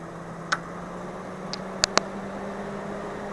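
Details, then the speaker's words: Fan-Tastic Fan Model 1250 newly installed in a travel trailer roof vent, exhaust mode, speed 2: steady low hum with a soft higher tone and a few light clicks. It runs normally, moving noticeably more air. "is on speed setting number 2. You can see we're pulling in a lot more fresh air, so I can actually feel a breeze in here right now, which is the whole point."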